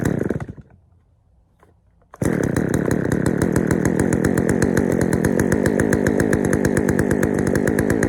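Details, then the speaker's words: Poulan 3000 chainsaw, previously wouldn't start, after draining dirty old fuel and adding fresh: catches after a pull, then fast slightly uneven burbling idle; runs fine but a little rich, low-speed mixture to be adjusted. "All right, so she runs. She runs pretty good too. She runs a little rich, but I'll adjust the low speed on it and we'll get it running better."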